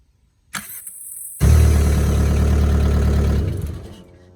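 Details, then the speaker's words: Mk4 car, after the dry starter was removed, greased and refitted to cure a whine after every start: a brief crank, then the engine catches into a steady idle with no starter whine; fixed. "this is called starter because not work but I can hear I can already already taught her uh spins pretty good check it out"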